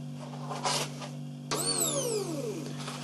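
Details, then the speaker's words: New Magneti Marelli MAM00015 fuel pump for Chery QQ, bench-tested on a battery before installation: steady low electric hum with a few light clicks; runs normally. "Bơm xăng mới hoạt động bình thường."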